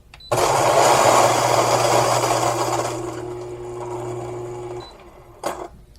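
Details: Fellow Ode electric coffee grinder grinding about 10 g of beans in about 5 seconds: even motor whirr with a smooth grinding rush, then spin-down. Normal grinding.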